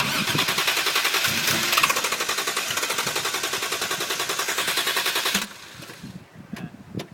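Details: Toyota Soarer with good battery, fuel pump, lines, filter and fuel ECU working: starter churns at about three and a half beats per second with faint firing, stops after five seconds, never catches; owner suspects insufficient airflow.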